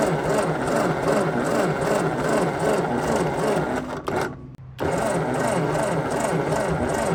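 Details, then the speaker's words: 1952 Ford 8N tractor with low compression and weak spark, owner suspects stuck rings; coil replaced with 12 V coil plus resistor: steady cranking about three turns per second, even unhurried chuffs, never catches. Cranking no-start. "So, she don't want to start. Let's just see if we have fire."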